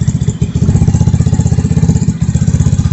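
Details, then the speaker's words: 2021 Vitacci 150cc Chinese scooter after carburetor swap (original 125 main jet reused) and new fuel filter, idling after start: steady quick single-cylinder putter, about four beats a second, no misses; runs much smoother than the old blocked-air-screw carb. "Right up. It runs a lot smoother now."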